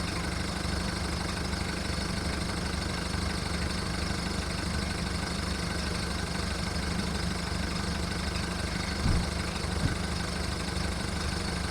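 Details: VW Golf Mk1 1.9 turbo diesel warming up just after its first start following 5 months of winter storage: steady low diesel clatter at idle with an uneven, lumpy beat; rough cold idle, cause not identified.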